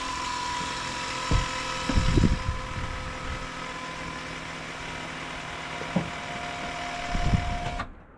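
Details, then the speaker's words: 2003 Dodge Ram 2500 5.9 Cummins diesel, during an oil and fuel filter change with the filter housing open: with the key on, the electric lift pump hums steadily for about eight seconds then cuts off cleanly, flowing well; normal priming. "Yeah, that was flowing pretty good."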